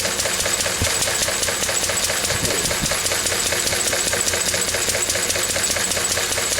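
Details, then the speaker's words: Lister D single-cylinder stationary engine, about May 1951: steady sharp knocks around 146 a minute with uneven missing from a lean mixture, before the mixture was adjusted. "there we are get that for to adjust it to get the mixture right now it is right"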